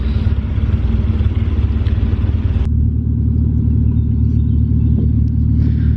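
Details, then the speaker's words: Jump-started Chaser at idle, a bit crook and smokey: loud, deep, uneven lumpy rumble about three per second, almost sounds cammed; owner suspects an exhaust leak somewhere. "this one son in a little bit crook smokey I think it's got an exhaust leak somewhere that almost sounds like it's got cams"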